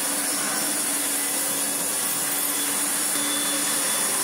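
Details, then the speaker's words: Restored Hoover Turbomaster U5078 upright vacuum after rebuild: brand new genuine Hoover fan (old fan rubbed from dirt, went off balance, blew two motor coil wires), original motor bearings, one new brush roll bearing; steady high airy rush, faint constant tone, no rattle or wobble, normal running. "So what we end up with is a Turbomaster with a brand new genuine Hoover fan, the same bearings that it came to me with, 1 new brush roll bearing because 1 broke apart, and it literally sounds like this."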